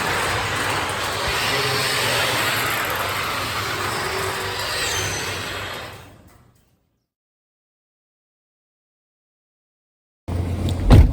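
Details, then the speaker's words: Genie garage door opener after the chain was refitted onto the sprocket, door running down and sealing; continuous rattling, scraping run for about six seconds, then stops; dry chain and rails need oiling. "Good news is it works, it seals up good, but the bad news we got to put some love medicine on that stuff."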